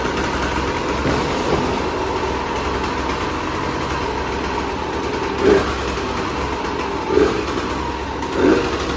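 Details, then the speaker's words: 2004 Husqvarna WR125 two-stroke with a fitted final silencer, believed to be from a KTM 300, and the power valve not working: it holds a steady idle with a few short throttle blips, picks up cleanly and sounds healthy. "psu foarte bucuros că am fost motocicletă și că motorul se aude bine dar nu o să dau o tură cu ea pentru că după cum am spus Power valve nu funcționează"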